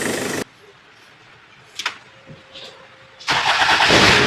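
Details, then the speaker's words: Diesel Kia Sportage towed in from Samar after it stalled and would not restart: after bleeding the high-pressure injector pipes, a brief crank catches at about three seconds and settles into a clean, steady idle. ABS light only, no check engine light. Normal start. "Goods. Ayos na ayos pa yung under eh. Good. EBS lang meron pero wala namang check engine."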